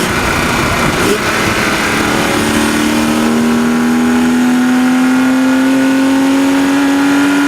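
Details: BMW 130i, 160,000 km, engine warmed 40 minutes, mic in engine bay on the Autobahn: a light fast ticking rattle under falling revs after accelerating to 6500 rpm and lifting off. It is absent at standstill idle. New solenoid valves, new 0W-40 oil, DISA about 50,000 km old; valvetrain worth checking.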